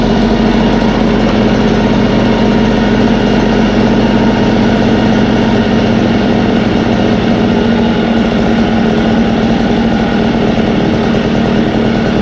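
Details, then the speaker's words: Echo 403T blower, two-stroke, fully warmed up after Zama carburetor replacement and low, high and throttle adjustment: smooth, even buzz at a steady high idle with no misses or surging; normal running. "oh all right and that is it that pretty much got up to operating temperature it's pretty hot low idle adjustment height adjustment throttle adjustment that's it"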